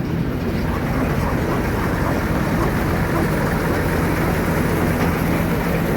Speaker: Nice running machine, started straight up.